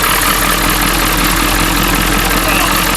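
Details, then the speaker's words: Ford 7.3 Power Stroke diesel farm truck, sat for years, revived in winter: loud steady diesel clatter at idle, no misses or surging; idles well though the transmission may not work. "Well, the transmission might not work, but she idles well the whole time."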